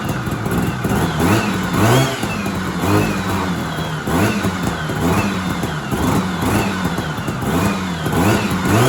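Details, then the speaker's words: 1970s Sno-Pony snowmobile, JLO 340 twin two-stroke, sat 20-30 years, rusty cleaned tank, not pulling fuel: crisp revving rising and falling cleanly with no knocks or misses; engine sounds good. "so it does not want to pull gas, but at least it runs and the headlights even work. That's crazy. The engine sounds good."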